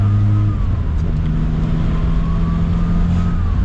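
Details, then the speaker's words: MK2 Jetta diesel converted to turbo, about 68 hp versus 58 stock, pulling hard on the road. A rising turbo whistle sweeps over the engine note as boost builds: a normal, healthy old-style turbo spool. "sounds so good too yeah I love the turbo noises the old turbo noises too like new turbos don't sound like that"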